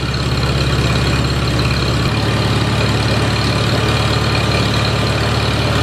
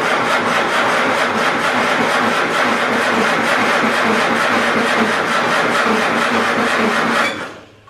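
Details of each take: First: A Farmall Super A tractor runs after grounds and wires were replaced to restore spark: loud, even low chugging holds steady with one small shift in pitch and no misses or knocks, so the engine is running smoothly. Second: Farmall Super A tractor after ground and wiring repairs restored spark: starter chugs about three strokes a second without firing; slow cranking, no start, owner suspects weak battery needing charge.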